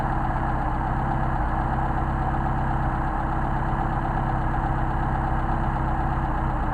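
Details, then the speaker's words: Mercedes 190SL Solex carbs on test, idle mixture screws turned off their midpoint; the idle goes uneven and lumpy, RPM drops off and the engine stumbles and shakes; incorrect idle mixture setting. "you hear that stumble our RPM is dropping off I'll make it more dramatic you start to shake"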